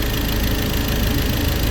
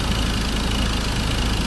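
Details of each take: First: Ford Ranger diesel, about 300,000+ km, after crank and cam sensor replacement and injector work: rough, low clatter at a throttle-held fast idle right after fuel bleeding; air still in the fuel system keeps it from idling on its own. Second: Ford Ranger diesel, over 300,000 km, after replacing CKP and CMP sensors for start-then-stall fault and bleeding fuel: low, even idle with steady beat, no shake or miss; engine settles and runs smoothly.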